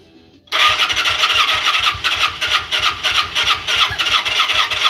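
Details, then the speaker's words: Engine being primed and started, likely over-fuelled, catches with a sharp pop then runs rough and uneven, backfiring through the intake on starting. "All right, so it did backfire out of the uh intake."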